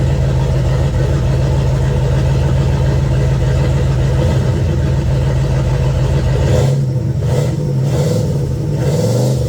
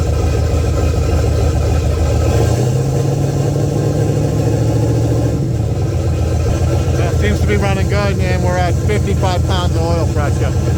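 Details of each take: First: Pontiac 400 with boost (now 10 psi) after ring, piston and bearing replacement, accelerating on the road: strong pull, then a brief dip and hesitation about two-thirds through. Longstanding stumble, absent when shifted manually. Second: Pontiac 400 V8, boosted drag car, after a backyard refresh with new rings, bearings and pistons, antifreeze in, run-in check with idle raised slightly because it idled slow: deep, even rumble, no knocks or ticks; normal running.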